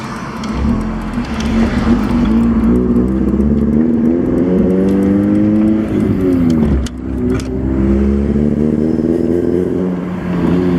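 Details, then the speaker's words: Si running rough only at heavy throttle, worst pulling away, fine at light throttle, started that day: lumpy, wavering note as revs climb; owner hoped a disconnected harness plug was the cause, not confirmed. "And this is the sound it is making, and it's only when I like light throttle, it's fine. It's only when I get on it. Really bad when I go to take off."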